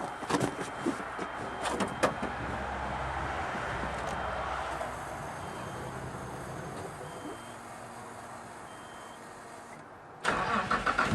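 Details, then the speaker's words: Plow truck running with fuel pump fed from a bucket as a temporary fix, on a weak battery: a few rough cranking bursts, then catches and settles into a steady even run with no misses; successful start. "again it's a success oh man I were glad to hear that run again"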